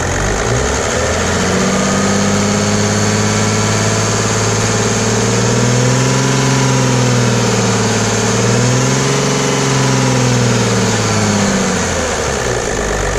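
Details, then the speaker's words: Mercedes W210 E300 with OM606 turbodiesel after a Liqui Moly diesel purge: steady even idle, then smooth climbing revs and back down with no miss or knock; engine runs smoothly. "it sounds real smooth especially rpm like that sounds really good"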